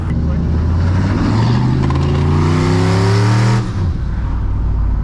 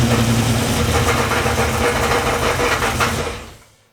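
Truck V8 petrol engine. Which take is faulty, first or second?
second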